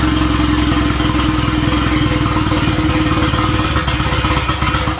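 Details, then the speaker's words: Boosted B18 Honda Civic EG hatch after swapping in the idle air control valve and TPS from the old engine: starts, then lumps along unevenly, chugging two to three times a second; rough chugging idle, cause unconfirmed. "it starts and then it just kind of like chugs like as if it's really not happy"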